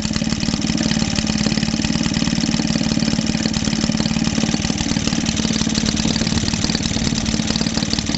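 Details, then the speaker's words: Maytag Model 72D washing machine engine after repair from a no-start, running happily with crisp regular popping about 220 a minute, no misses, though shaking about on its mount. "She's sounding quite happy now. But she is moving about on here like no tomorrow."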